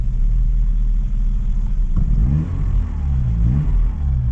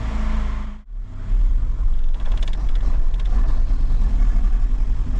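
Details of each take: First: Vauxhall Cavalier with C20XE, still on contaminated fuel, after the three-cylinder terminal short was taped: a deep steady idle that rises and falls smoothly when blipped, with no misses or knocks; running absolutely fine now. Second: Vauxhall Cavalier, engine possibly over 200,000 miles, started after topping up the oil; catches, then revs unevenly, surging and sagging; owner suspects petrol contaminated with diesel; rough running.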